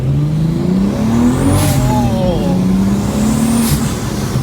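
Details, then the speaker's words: Rebuilt wrecked 2023 BMW M3 with big turbo, on-road pull: strong smooth rising pull, clean even exhaust note, no stumbling; runs much smoother, normal under acceleration. "sounds real good I think we're back in business Dy this sounds so much better"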